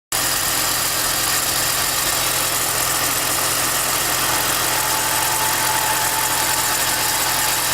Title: e46 whining chirping sound